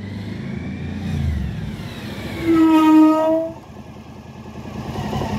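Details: Suzuki DL1000 motorcycle coasting, then braking: loud steady squeal with ringing overtones for about a second; harmonic resonance caused by sintered brake pads.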